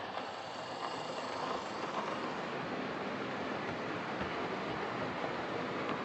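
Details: Old Lima Class 31 model locomotive in freight livery after overhaul with an extra pickup added on the front bogie, running on the layout: soft, even whir at steady speed, no stutters or drop-outs; normal running.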